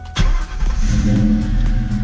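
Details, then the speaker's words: Mustang GT V8 with long-tube headers, just after starter replacement: short crank, catches immediately and settles into firm steady idle with no grinding or hesitation; normal start. "And there it is, you guys. Starts right up. Starts right up. Oh, that sounds so good."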